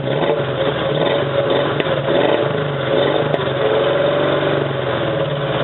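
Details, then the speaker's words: 1987 Toyota 4Runner, high-mileage remanufactured engine, after about 3 minutes of idling following a rough cold start: irregular dropped beats and lumpy rhythm; misfire traced to a cheap head gasket leaking coolant, cracked aftermarket head and antifreeze-fouled plugs; fixed with OEM head and gasket. "So that was running for like 3 minutes and it was still misfiring."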